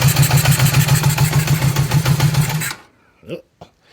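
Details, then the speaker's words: Restored 1978 Honda CB750K barely running, with a carburetor leaking fuel and a suspected vacuum leak: a lumpy, uneven idle with a loping pulse about three times a second, then dies, sounding like only two cylinders firing. "It doesn't sound very healthy. In fact, it sounds like it's only firing on like maybe two cylinders."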